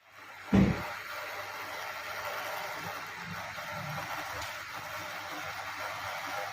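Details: MSI GF75 Thin 9SCR laptop, about 1.5 years old: left cooling fan whooshes steadily with a faint, uneven rattling buzz underneath after an opening thump.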